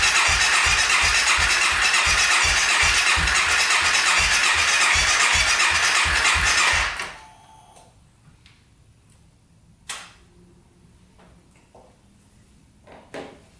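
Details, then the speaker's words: 2014 Honda CRF250L cranked with a jumper pack on the battery, suspected too small. Starter cranks at an even, brisk rhythm for about seven seconds but nothing fires. No start; aftermarket ignition switch. "no goo and we also tried to put some gas down the cylinder and still nothing"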